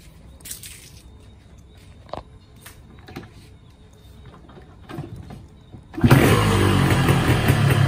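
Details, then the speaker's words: Yamaha RX King 2007 two-stroke, not started for 2 years, clutch suspected stuck and not yet adjusted: a few quiet taps and rattles, then it catches and runs loud and rough. "Ini motor RX King selama 2 tahun tidak dihidupkan ini kita coba hidupkan lagi"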